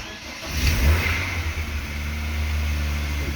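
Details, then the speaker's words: BMW E36 Compact 316i 1.9 engine won't hold idle regardless of temperature: blipped throttle holds, but easing off it stumbles with false explosions, shakes and labours toward stalling; rough idle and misfire at low rpm. "si lo aceleras el coche se aguante entendido da igual la temperatura que tenga y a medida que vamos soltando el acelerador empieza a fallar ahora mismo parece que hay unas falsas explosiones estamos soltando más el acelerador empieza a temblar"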